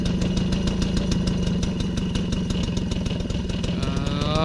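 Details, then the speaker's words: 1993 MBK 51 Club Salsa moped two-stroke, just revived after an overhaul, now holding idle on its own: putters at a fast, even idle without stalling; sounds healthy. "C'est bon, ça tient les amis. Donc voilà, ça c'est plutôt cool."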